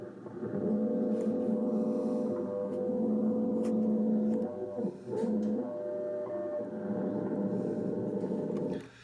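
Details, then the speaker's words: Ten Tec Paragon 2 receiver on WWV 10 MHz in AM mode after a bad AM/FM-board ground connection was fixed: droning, warbling hum with steady low tones over the audio. Synthesizer (PLL) noise persists, plus apparent feedback from the volume control; cause unconfirmed. "Anyway, the symptoms of this are I can get on WWV here on 10 megacycles, and I can go to AM mode, which I am, and I'm still hearing synthesizer noise. So now sounds like some feedback too from my volume control here."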